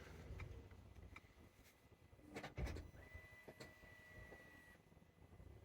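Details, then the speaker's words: Citroen Berlingo / Peugeot Partner 1.6 HDi with failed automatic gearbox, engine off, ignition on, clutch opening and closing actuator tests: a few soft clicks and a short electric whirr as the actuator cycles; normal gearbox actuator operation. "you can hear the clutch going operation done so that's fine closing of the clutch operation done so the clutch is okay"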